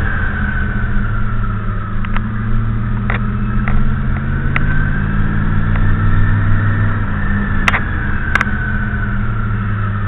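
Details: 1985 Monte Carlo SS, stock with 23k miles, 305 V8, 200R4 transmission, 3.73 limited-slip, about 2400 stall converter: straight-cut first gear whines only in first, rising and falling with road speed over a low engine drone; normal.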